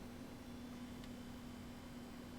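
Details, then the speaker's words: Replacement 40mm, 1cm-thick fan for a Mega ST2, test-powered via red and black wires: faint even constant low hum, no ticking or scraping, sounds fine; very slight breeze, draws 195 mA. "That's going alright. Let's see if I can feel. The breeze is so slight, it uses 195 milliamps."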